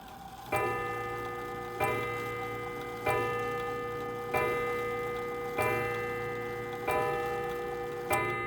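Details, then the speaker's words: 1904 Gilbert "Congo" 8-day antique mantel clock, as bought before overhaul: seven harsh, clanky, ringing gong strikes at the hour, about 1.3 s apart; worn leather tip on the strike hammer looks like it's seen better days, to be checked. "So that sounded a little harsh to me, and that leather tip looks like it's seen better days, so I'll have to take a look at that."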